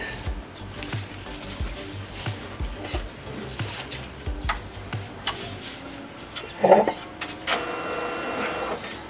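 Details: Brother DCP-L2540DW laser printer, 277,000 pages, after replacing fuser assembly and a gear to cure grinding: steady soft mechanical thumps and light motor hum, running cleanly with no grinding.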